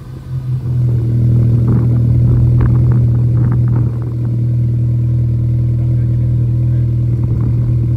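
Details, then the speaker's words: VW Scirocco engine after the failed coil pack was found as the culprit and replaced: engine catches and settles into a steady, even low hum with no splutter or missed beats; running smoothly after the repair. "Fixed, and that coil pack was the culprit."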